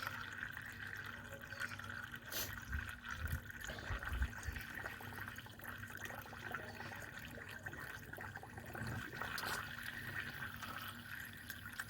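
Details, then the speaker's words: Mini One R50 after radiator replacement, refilling with water: steady thin hiss with trickling and gurgling as trapped air escapes the coolant bleeder valve on the top hose to the heater matrix, until it starts dripping. "You can hear air hissing from that bleeder valve. Yeah, it starts dripping."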